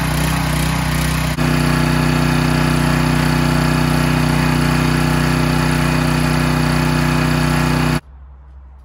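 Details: Husky 3750-watt generator that sat for 10 years, started on the first pull after fuel was added: a smooth, deep, steady drone at constant governed speed with no stumbles until shutoff. It runs normally and produces power.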